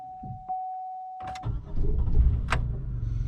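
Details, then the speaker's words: 2005 Chevrolet Impala, 357,000 miles, intermittent starting: chime, then starter catches and engine stumbles into uneven, lumpy run; hesitant start, camshaft position sensor A circuit code read, sensor replaced. "oh fired up it's not quite firing up like it should hesitates a little bit"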